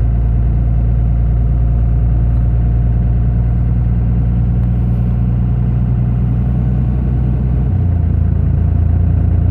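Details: Second-gen 24-valve diesel at steady high idle, deep heavy drone with slightly lumpy low beat, consistent with one or more cylinders not firing; rough running, dead cylinders suspected, not confirmed.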